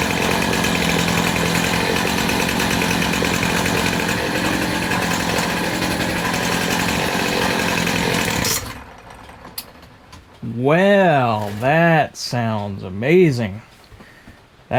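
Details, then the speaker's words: Poulan Pro PP258TP 25cc two-stroke pole saw from an estate sale, long unused, first run after fuel was drizzled into the cylinder. An even two-stroke buzz for about eight seconds with no misfire or surging, then shutoff. It runs clean and still needs fine-tuning. "That's running really, really nice. I'm very happy with that."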